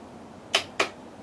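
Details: Two sharp clicks about a quarter second apart and no cranking on a motorcycle with a new, fully charged battery; the solenoid engages but the starter is stuck, usually freed by tapping it.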